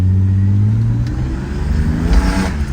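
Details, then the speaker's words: 1990 Mercedes 300E six-cylinder, reported to stall, revved in the driveway: strong, clean rev rising smoothly with throttle, no stumble or cutting out; engine pulls healthily. "holy six cylinder this has some power can't leave the driveway though this thing rips in the driveway"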